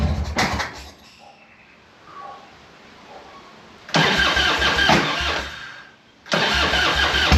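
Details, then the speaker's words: Harley-Davidson Evo 1340 Heritage that ran faultlessly on an 800 km ride, then sat about two weeks. Fires, stumbles and quits, then restarts twice with a lumpy, uneven thump and smoke from the carburetor. Rough running, cause unknown. "Doesn't sound good, does it?"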